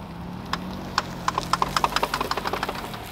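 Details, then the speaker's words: Car with both CV axles bad, rolling through a turn: sharp repeated pops speeding up to about eight a second, one side popping right after the other; worn outer CV joints. "the vehicle shown in the video actually had two bad cv axles so you're going to hear kind of a repetitive pop pop pop kind of noise that's one popping right after the other"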